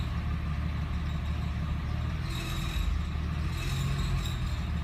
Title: 2007 997 C4S - whining / squeaky sound #2